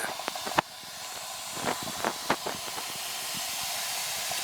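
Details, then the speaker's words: Heat pump with no heat, condensing unit not running and refrigerant completely empty: steady high hiss of escaping gas with faint clicks, leaking at the rotted liquid-line filter drier near the king valve, drier to be replaced. "This thing's completely out of freon."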